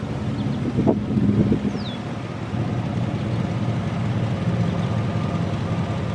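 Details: Buick Roadmaster wagon V8 recorded outdoors with newly installed SPELAB electric exhaust cutouts open, after remote/key fob test: deep, even burble and steady low rumble, no knocks or misses; open exhaust sounds healthy, better than expected.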